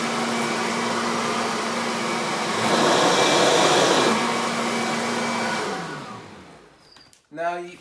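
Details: Kirby vacuum (148 CFM) picking up flour: strong steady motor whine with rushing air, pitch holding firm under load, then winding down; Kirby gets most of the flour; normal, healthy high-suction operation.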